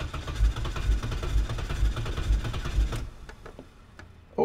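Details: 1987 BMW 325i (E30) being brought back on the road, retry after a failed start; owner thinks it wants some gas. Starter cranks in steady pulses, about two per second, for three seconds, never catches; cranks but won't start, cause unconfirmed.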